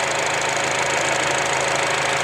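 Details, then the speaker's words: 2004 Acura 2.4 i-VTEC DOHC after fixing misfire codes P0301-P0304; even regular firing pulses, no misses or stumbles, smooth water test; normal idle after repair. "all right let's go ahead and check out the Acura and boy if it sounds good how smooth that engine is"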